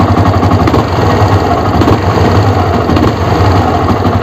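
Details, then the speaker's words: Yamaha R15 idling after start, before repair: loose, uneven low knock ("dung dung") about once a second over the engine beat; caused by the clutch housing shaking on worn rubber dampers, giving noise, shudder and poor pickup on acceleration. "இப்போ இந்த R15 இந்த வண்டியில் பார்த்தீங்கன்னா, இப்போ பைக்கை start பண்ணதுக்கப்புறம் பாருங்கள், ஒரு மாதிரியாக இந்த டங் டங்னு இடிக்குது பார்த்தீங்களா."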